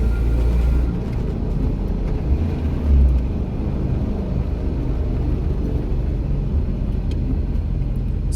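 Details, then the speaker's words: VW Rabbit, chassis 270,000 miles: deep, steady, plane-like droning roar while rolling, heard as engine slows, from a worn wheel bearing, to be replaced. "like listen to this wheel bearing you can hear it as the engine slows down it kind of sounds like a plane"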